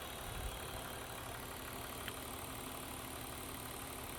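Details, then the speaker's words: 2000 BMW 323i E46, original 2.5 L inline-six at 364,000 miles, idling under the hood on a roughly 20-degree Michigan day: quiet, even, smooth hum with no knocking or stumbling; healthy engine. "Runs pretty smooth, honestly."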